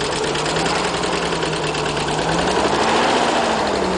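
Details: Nissan 300ZX Z32 starting: fast light ticking three or four per second over uneven idle; owner suspects bad injectors, not confirmed.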